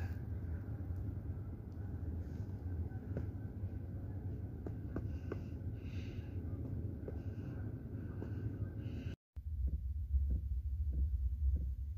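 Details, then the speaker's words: Diesel heater in a minivan camper starting up on a snowy morning: a low steady rumble with a soft regular tick about one and a half times a second as it lights normally. "that sound here is my diesel heater starting up"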